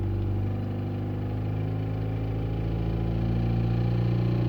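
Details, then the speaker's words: Opel Zafira A Y20DTH diesel: faint repeating knock absent at idle, audible from about 1300–1500 rpm and strong near 2000 rpm, appeared a week ago; cause was the loose crankshaft alternator-belt pulley. "Ну и что это стучит? Как оказалось, это шкив коленвала."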